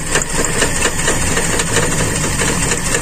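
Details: Carbureted Toyota Kijang limping and shaking badly, hard to start at low throttle; uneven idle with irregular stumble, only cylinder one misfiring, traced to a leaking intake vacuum hose.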